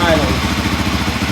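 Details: 1983 Honda XR500 single after dual-carburettor float-valve adjustment and reassembly: first start fires on the first kick into a steady, quick, even thump with no misses or rattles; clean idle, overflows dry.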